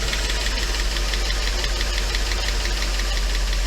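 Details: Mercedes 500E W124 V8 on its very first start, low on oil (about six quarts in): rough, uneven busy ticking clatter over the engine while everything bleeds; engine shut down to add oil.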